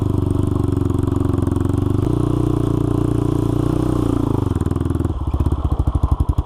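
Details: Honda 400EX single-cylinder ATV after crankshaft replacement for a locked-up engine, test ride through the gears under load; sharp, loud popping puff every firing stroke from a broken exhaust header leaking pretty badly; new header needed.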